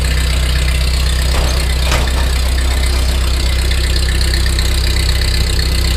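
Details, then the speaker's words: 1948 Ford 8N tractor, first start after complete engine rebuild, in neutral: steady even low idle with a smooth regular beat, good oil pressure; healthy. "foot throttle works well excellent oil pressure heck it's got the G gauge Peg that idle that ain't bad so far so good proof that it runs"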